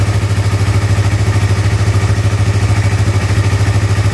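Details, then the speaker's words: Used motorcycle engine checked at idle, also with the exhaust covered by hand: steady, regular idle beat around three pulses a second, even and smooth with no knocking or clatter; engine still very smooth and healthy. "mesinnya masih halus kemudian ini knalpot kita tutup tangan kita kita dengerin ya ini maut mesinnya masih sangat halus"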